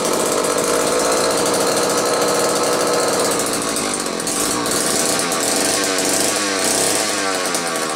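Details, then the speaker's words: McCulloch 1-40 chainsaw, earlier repaired for no spark, test run: high buzzing engine that wavers and stumbles instead of holding a steady pitch, smoking heavily. Running rough; a bad crankshaft seal on one side or crankcase sludge suspected, cause unclear. "well that's a smoky mouse I'm not totally sure what to make of this one it almost acts like it could have a bad crankshaft seal on one side"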